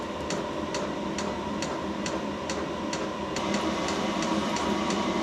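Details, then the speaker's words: Portable diesel heater on its first firing, bleeding fuel through before putting out heat. Crisp, regular fuel pump ticks at a little over two per second above a soft fan hum; the dosing pump, its noisiest part, is pulsing normally. "the fuel pump is probably the noisest part of the heater"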